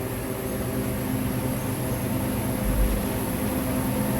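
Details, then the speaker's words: Walk-in cooler condensing unit in a heat wave: steady, hollow, labouring drone with no cycling; low on charge or high head pressure, and a liquid line that is not hot points to a low refrigerant charge. "Yeah, it's buried. It's either that's the sound of low on charge or high head pressure."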